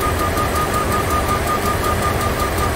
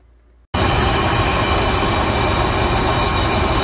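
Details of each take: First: 2004 Dodge Ram 1500 4.7 V8, low dirty oil just changed, rough idle with a light tick two to three times a second from the right bank; vacuum gauge indicates valvetrain fault, exhaust cam follower on cylinder 4 popped out, likely collapsed lifter. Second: 2004 Dodge Ram 1500 4.7 L V8 after refitting a cam follower that had spat out on cylinder 4 exhaust (suspected collapsed lifter): catches and settles to a steady, even idle, no tick, vacuum steady near 16 inHg. Normal idle.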